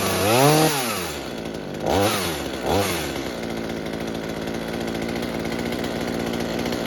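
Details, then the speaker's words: Mini chainsaw saved from scrap, being fixed for a fuel leak, after carburetor tuning (low side opened, too-rich high side turned down): a few sharp revs climb and fall cleanly, then steady even idle without stumbling; normal idle. "Okay, high side sounds like it's too rich. We turn it down. This is the idle."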